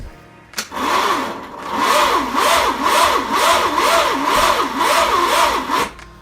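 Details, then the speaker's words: Starter cranking an engine on a cold start, ignition disconnected and a fresh battery fitted. Loud, rasping starter whir with an even rise-and-fall, about two beats a second. The starter is noisy but still turns the engine over freely. "Well, you can hear how noisy that starter is, my word. But it's turning over, which is good."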